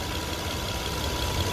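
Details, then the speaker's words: Car that had been shaking at idle, fuel pressure now raised near the 51 psi spec after fuel-trim diagnosis pointing to a weak pump: brief, smooth, steady idle with no shake, stumble or misfire; no longer trembling. "entonces vamos a aprender el auto y ya no se escucha como antes"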